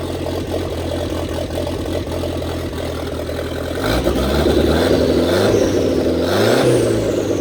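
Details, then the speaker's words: 1927 Ford Roadster with 2.3 L turbo, first start after fuel line repair on 91 octane, downpipe not yet welded: steady even idle, then clean rev rising and settling; running normally, no leaks. "And that's it, guys. We got it running. She's alive. And most importantly, no leaks."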